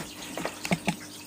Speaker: it can he like trickling water inside um so what I do is to lift the filter up like so and just give it a little shake and you'll see all the bubbles coming out of there this tube and they'll come out your spray bar